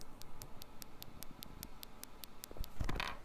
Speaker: once you've turned the system on you've verified that the coils are plugged in fully and that the green LED is flashing simply listen to the coils you should hear a clicking sound